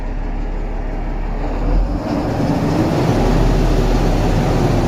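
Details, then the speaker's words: Mahindra Blazo BS6 M-Dura tipper diesel truck, code P0344 after sudden loud engine noise, long cranking to start; drones at a flat cap, won't exceed about 2000 rpm even at full pedal; camshaft sensor or cam gear fault suspected. "देखिए, यह दो से ऊपर नहीं जा रहा है। ठीक है? पेडल को पूरी तरह दबाने के बाद भी, यह दो की सीमा पार नहीं करता है।"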